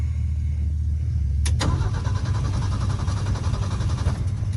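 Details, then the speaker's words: 1971 Ford F-350 crew cab straight six, revived after 20 years, running off a one-gallon fuel jug: starter churns steadily, engine won't catch after stalling; owner suspects lost fuel, kinked hose in temporary fuel setup. "oh i made it shut off i wonder why it shut off"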